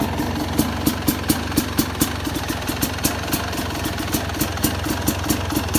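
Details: Two-stroke Yamaha YZ250X idling with extra pulser coil delay degrees: loose popping beat about twice a second, lazy sputtering idle consistent with retarded ignition timing.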